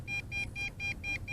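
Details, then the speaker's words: MJX Bugs 3 Pro GPS drone at about 1 km range: the remote gives rapid high-pitched double beeps about four times a second as the drone flies back; failsafe return-to-home warning. "and it is making its way back sideways and as you can hear the remote control is going nuts awesome"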